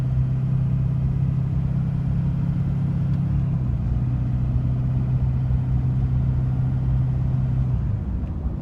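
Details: 2006 Duramax LLY diesel at a steady idle with a low rumble and a dull repeating knock under the clatter; the cause of the knocking is unknown.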